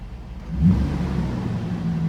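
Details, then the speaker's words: 1991 Mercedes R129 500SL with M119 V8, warm at just over 80, idle control valve cleaned: a steady, even hum that stays up and won't drop back; idle still hanging high though improved, cause suspected in the ICV. "Oh, kind of hanging up. Yeah, you can see it."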